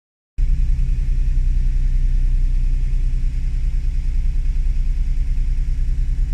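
Deep idle with an uneven, wandering pulse around three beats a second rather than a clean steady beat; unsettled idle, cause unclear.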